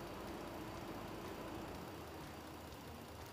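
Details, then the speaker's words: Ford vehicle during key-on engine-running self test: low steady idle with cooling fan whirring on low speed, no knocks or misses; test completed with no trouble codes. "it's returned back to a state of idle here we're still just waiting for it to do its final tests the cooling fan is running on low speed right now"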